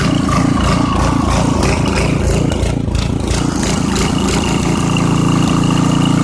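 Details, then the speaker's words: 1989 Briggs & Stratton 5hp 13 cu in with 6:1 gear reduction, first run after years sitting, on partial choke: rhythmic rise and fall at idle; it dies when fully off choke, and the owner suspects a slightly obstructed jet. "it's surging a little bit if you take it off choke all the way it wants to die which means the jet is probably slightly obstructed"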